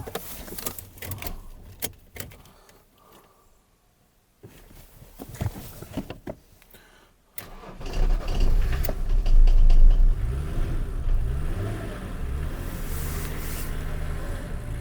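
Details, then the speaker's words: BMW E34 diesel, fuel bled by cracking a line: weak cranks, then it catches and idles loud and uneven; air bubbles seen in the fuel, viscous fan also noisy; rough idle from air in fuel. "Could be getting air in there. You can get air anywhere on the fuel system."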